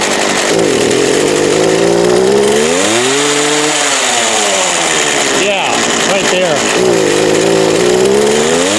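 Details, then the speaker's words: Craftsman 19-inch 25cc two-stroke gas hedge trimmer with cracked fuel lines and gas of unknown age: revs swing up and down in uneven waves, then sag and stumble as if about to stall; surging and bogging. "um running right now, but I doubt it's going to stay. And it really fogs [Music] down."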